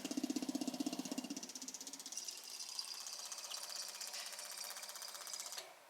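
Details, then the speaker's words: Newly installed Holley 12-426 electric fuel pump replacing a burned SU pump: quick, even ticking about four times a second while priming, then a quiet steady hum, much quieter than the SU; normal fuel pump operation. "That's a lot quieter than the SU. I heard it prime and everything, so that's good."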